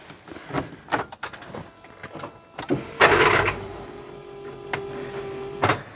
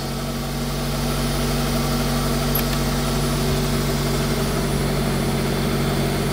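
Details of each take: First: Smart Fortwo 450 Cabriolet, crank and alternator turned by hand with a sticky spot still on the alternator: short clattering crank burst, then steady strained hum with no rotation as the seized alternator locks up again; new alternator possibly needed. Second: Smart Fortwo 450 Cabriolet idle with air conditioning running: steady, even idle with compressor hum, no knocks or misses; revs rise on the cooler setting to combat the load, then drop once warmed enough.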